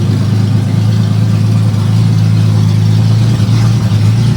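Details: 1980 Datsun 280ZX before repair with no muffler or resonator, phone recording: steady loud engine drone with hard, raspy high-pitched exhaust edge, nothing damping it.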